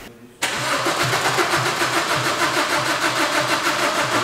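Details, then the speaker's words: Chevrolet Damas small van: steady starter cranking about three turns a second with a hollow knock heard in the intake, no firing, compression 14–18 bar; crank no start, valve not closing suspected, timing chain also questioned. "But it hits that ... you can hear it, inside the intake ... It sounds like it doesn't close the valve."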